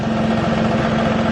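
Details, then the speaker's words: 2000 Ford Mustang V6 idling after oil and filter change: steady idle with a quick, regular light ticking through the low rumble; owner believes it comes from the transmission or clutch, not confirmed; ticking at idle. "now that ticking sound to some of my transmission don't mind that"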